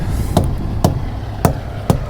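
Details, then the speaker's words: Pre-trip hammer check on a semi-trailer's tires, which have automatic inflation and disc brakes. Four solid, evenly spaced thumps, about one every half second, each sounding firm and full: inflation is fine. "Checking those. Sounds good."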